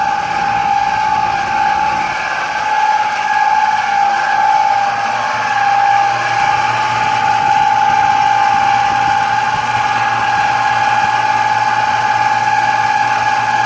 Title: Air conditioner noise